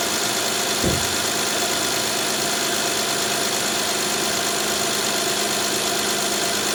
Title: 2011-2017 Honda Odyssey First start after Timing Belt kit replacement after 12 hours of work